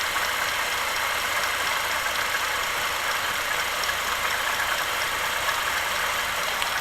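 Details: ZMZ-40904 Euro-3 engine, warm idle: a light, quick ticking knock at the front of the engine, caused by a piece broken off the alternator belt base; the belt was replaced.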